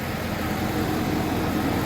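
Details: Federal Tahoe V8 after tightening exhaust to fix a leak before emissions test: even, steady idle with smooth low rumble, no puffing or ticking; leak gone, normal idle.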